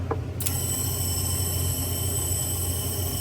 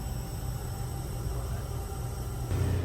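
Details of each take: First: Honda S2000 with 140,000 miles on a cylinder leak-down test: steady high airy hiss with a faint whistle, air felt escaping from cylinder number three, suspected burned valve possibly from a very tight valve adjustment. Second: Honda S2000 with 140,000 miles, leak-down test on cylinder number three: only a low dull rumble with no hiss of escaping air, cylinder sealed, unlike number one showing about 60% leakage.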